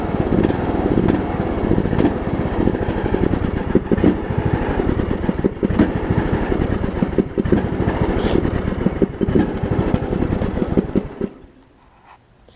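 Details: John Deere LA105 riding mower, unrun about three years, at about 40°F after draining the tank and cleaning the carb: hunts unevenly, rough and lumpy, cutting out near the end; owner suspects leftover gunk in the tank.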